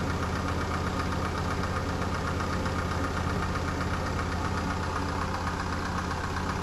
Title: Medion PC sounds like diesel engine !